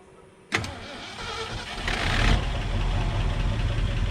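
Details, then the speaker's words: Ford F-350, low-mileage engine sitting 5–6 years, started on a weak battery by pouring fuel in with the tank line disconnected: brief crank, then catches and settles into a steady, low, even rumble with no misses; normal running. "Well, there you have it. She'll run."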